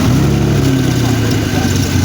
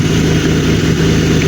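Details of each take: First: BMW 3 Series with a throttle body and wiring converted from MS43 to MS42, first start after the conversion: a steady, even idle with a smooth low hum and no knocks, misses or hunting, so the engine runs cleanly. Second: BMW 3 Series M52TU petrol six during an MS43-to-MS42 throttle body conversion, first start-up test before final wiring, steady idle with no rise in revs: engine not responding to throttle.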